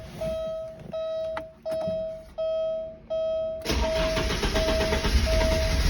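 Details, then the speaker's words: Porsche 944 S2 with intermittent hard start; after cranking chimes the engine catches and runs lumpy and uneven as if on one cylinder, no response to throttle, sometimes catches and pops off. "It's like it's on one cylinder. Giving it throttle right now, nothing happens."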